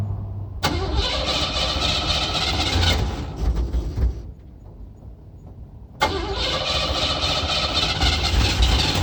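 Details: Aged Cadillac nicknamed Duke, hard start: engine fires and runs a couple of seconds, sags and nearly dies, then catches again; unwilling to start.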